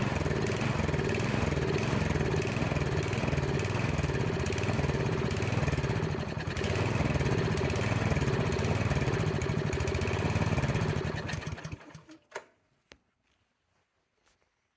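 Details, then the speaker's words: Snowblower small engine with plugged carburetor pilot jet, at high idle: slight uneven rise and fall in speed (surging), then cuts out; fix is removing and cleaning the pilot jet. "at high idle or normal operating rpm the plug pilot jet will cause the engine to surge up and down this is easily corrected by removing the pilot jet cleaning it and reinstalling it into the carburetor"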